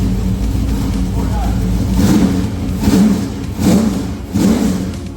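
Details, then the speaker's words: Newly built, carbureted, lumpy-cam V8 in a truck, first start after four years of building: idles and blips cleanly several times over background music, revs freely and sounds healthy. "It does sound good for a little 53, huh? What do you think? Sounds great, man. Carburetors always sound better."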